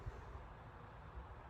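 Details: Holmes HASF-1301 12-inch pedestal fan from November 2000, about 25 years old, on medium speed; low soft even whoosh with a steady hum and no ticks or rattles; runs quietly and healthily.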